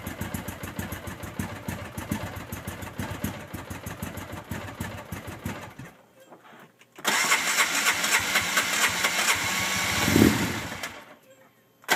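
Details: Hard-starting RZR, in park, with smoke coming from the back: a long run of steady cranking pulses, about four a second, before it finally catches, runs briefly, then cuts out.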